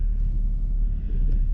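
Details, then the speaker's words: 2012+ Chevy Sonic/Cruze 1.4L, heard in the cabin while driving: heavy droning low boom and rattling with no clear knock, steering wheel shaking with engine RPM; suspected worn passenger-side motor mount, replaced. "So today we're going to be working on this thing because it's very loud there's a lot of vibration while driving so we're going to be replacing the motor mount oh and you can just hear how loud it is"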